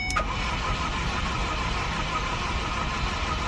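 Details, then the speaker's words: Ford Focus, non-runner, cranking after pushing in a disconnected part: starter churns evenly for several seconds but never fires, fuel smell present; crank-no-start, owner suspects the disconnected part. "nothing nothing nothing nothing and i just jumped out and i smell fuel"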